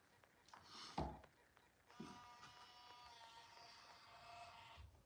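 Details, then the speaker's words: Untested used Canon GL1 MiniDV camcorder. A soft, strained whirring runs about three seconds as the tape transport turns and sounds laboured, unlike the owner's own GL1. It still reads the tape. Owner guesses it is just more used; cause unconfirmed. "It's weird. This one makes like different noises than my personal one. I'm just like not used to it. Like it almost kind of seems like it's like putting more work in, but it works and it reads the tape and everything."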